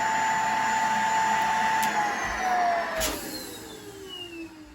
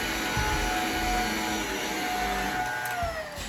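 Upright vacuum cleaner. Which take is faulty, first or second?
first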